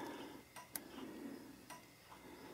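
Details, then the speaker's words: 1972 K25 truck turn signal test during wiring harness checks: slow, uneven flasher tick of only a few clicks per second; rear flashing slow, a light dim and unchanged while the connection is wiggled; suspected poorly seated bulb. "now that might be due to this we'll just check this connection a bit we're I'm looking down the light I'm not seeing it change and you can probably hear the ticker not ticking any different"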